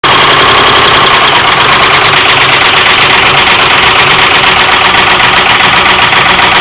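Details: 2001 Ford F-150, 4.6 liter V8, idling loudly with a fast tapping knock about four times a second over the engine hum; engine knock, cause unknown.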